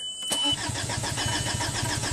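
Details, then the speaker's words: 2005 VW Passat TDI, 231,000 miles, crank no-start after engine and transmission rebuild: starter spins engine in even pulses, never fires; no lift pump heard running and no low-side fuel. "all we're doing right now is seeing if we have fuel on the low side so let's uh like i don't hear a pump [Music] run"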